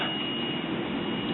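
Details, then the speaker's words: Circa-1947 GayTone 78 rpm record player, continuity meter clipped to the tone arm with the other probe on the chassis: a steady high continuity beep holds the whole time; the tone arm is shorted to the chassis. "have our meter set to continuity have one end of the meter clip to the tone arm i'll touch the other meter probe to the chassis and let's listen for the continuity buzzer oh yes"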